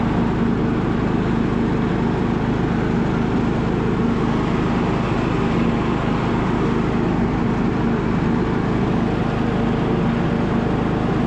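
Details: Abandoned MTD Bolens riding mower revived: engine restarted after fuel valve was found off, blades engaged; even, steady drone with no misses or surging over about ten seconds, running super smooth and healthy.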